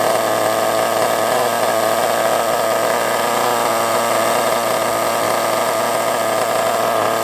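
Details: Kyosho MP9 nitro RC buggy engine, started after sitting 2 years: it screams at a high, steady pitch with a thin, strained edge, sounding lean. Owner suspects a fuel blockage or a poor fuel tank seal.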